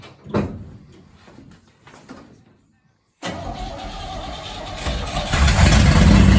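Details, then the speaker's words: 1968 Chevy C10, believed 307 V8, locked engine after about 30 years sitting, after setting rocker lash and torch-cleaning plugs, with fuel dumped in the carb: catches and settles into a steady, slightly rising run; normal running. "okay well there you go this thing's been sitting for like 30 years locked up engine we got it running"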